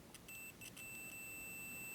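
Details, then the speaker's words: Multimeter continuity test on a model locomotive being checked for DCC motor isolation, probes on the small screw and the frame: a steady high beep showing electrical continuity, so the motor is not isolated from the chassis. "and again electrical continuity that's not good that means that this motor is not isolated"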